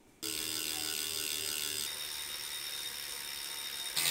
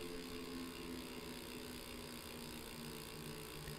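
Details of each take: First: Direct-drive smart trainer freehub coasting before it is greased, since some trainers ship with almost dry freehubs: fast, even dry clicking that slows as the wheel coasts; the pawls are ticking loudly over the engagement teeth. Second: Tacx Neo 2T smart trainer freehub after regreasing, coasting, with a shotgun mic pointed at the trainer: soft, even purr with no sharp ratcheting ticks, and the small internal fan is now louder; the pawls run quiet and smooth.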